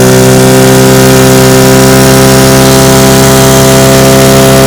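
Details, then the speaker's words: Restored 1950 Johnson TN-28 5 HP outboard pushing a 14 ft 1957 Feathercraft about 10 mph on bayou test run: steady high buzzing two-stroke tone held evenly, no misses or surging; running cleanly under load. "as you can see she's a beauty pushes my 14 foot 1957 feathercraft about 10 miles an hour it's pretty awesome"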